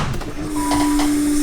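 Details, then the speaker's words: LS1 V8 with a big cam in a Nissan 300ZX (Z32), at first start: steady high electric whine over the engine noise, louder than usual; the fuel pump is running with the tank empty. "empty and you hear the fuel pump it's never this loud"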